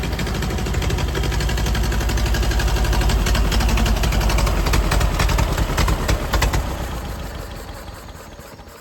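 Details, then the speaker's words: Ford Model AA doodlebug, brief run with no alternator or fan belt driving fan: lumpy uneven fast-idle thumping that sags and dies; stalls, suspected out of gas from small temporary tank. "well it quit for some reason sound like maybe out of gas from my little tank"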